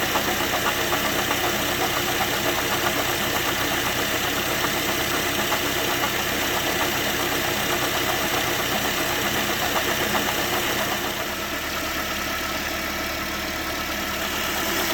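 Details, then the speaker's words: Toyota Corolla idling: a steady rapid ticking and rough whirr from the front of the engine at about four beats a second; a minor water pump bearing noise, checked with the drive belt removed. "Second step, go to the water pump. It's literally small noise. Noises is very minor, so let's put a borescope and inspe"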